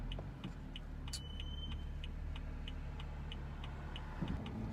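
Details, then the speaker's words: BMW M235i with M brakes, pads changed two weeks earlier, about 53 °F: light rhythmic ticking with wheel speed then a short high-pitched squeal; brake squeal for six months, not temperature-dependent, cause not found. "I've had this problem for about 6 months now, and when I take it in for service, they just say that these brakes have a lot of brake dust, but I think it's something way bigger than that. The car isn't supposed to sound like this from the factory."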